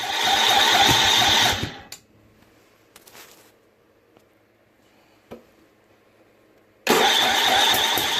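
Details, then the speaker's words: Snapper 25066S riding mower, 6HP Tecumseh engine, after rat-chewed magneto replaced and new battery; carb cleaner sprayed in, choke stuck open; rhythmic cranking, pause, more cranking without firing: no start. "I'm gonna try and blow some carp cleaner in there and and just give it a crank and see if it'll turn over"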